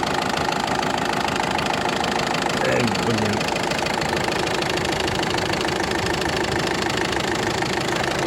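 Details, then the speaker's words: Ford Focus 2 1.6 diesel, newly developed knock: sharp regular tick about two to three per second through the idle, clearly heard; first below, seemingly moving upward; source not yet found. Engine knock. "ух да ну здесь отчётливо стока этот отчётливо цокает конкретно"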